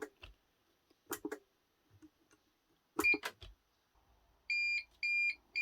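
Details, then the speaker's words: Kenwood Titanium Chef XL food mixer keeps stopping, spluttering at low speed: a few faint clicks, then three short evenly spaced high beeps as it cuts out with E29 error code; worn motor brushes, plus an internal oil leak. "I'm hoping because when it's on low speed, you can hear a little bit of spluttering coming from it. I'm hoping the brushes are gone like the last one."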